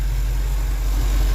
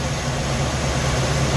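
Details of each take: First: alright guys i got the timing advanced and as you can tell she sounds much smoother let's go see what it's like right at the exhaust she sounds much better now even even up here Second: Suzy at idle with the ignition timing way over-advanced (checked with a timing light, originally set by ear): a lumpy, uneven low idle with a loping beat. Later resetting it to about 10 degrees made the idle smoother.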